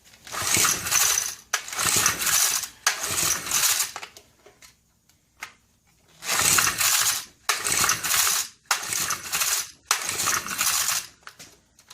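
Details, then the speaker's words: Vintage 300-watt Honda E300 generator, about 1970: repeated recoil pulls, each a rattling whirr, and it never catches. The plug is wet and the engine flooded, so it is getting fuel, possibly too much; there is no spark. "Nothing. Nothing. Every time I pull this out, obviously it's flooded. So it is getting fuel."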